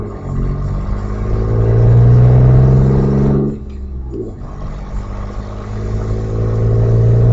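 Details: Audi A4 2.8 12V V6, tractor-like blatty rumble on starting and sometimes accelerating, swelling with revs; exhaust leak right after the flex pipe and before the cat, leaving one bank open; since repaired, now running a Magnaflow muffler.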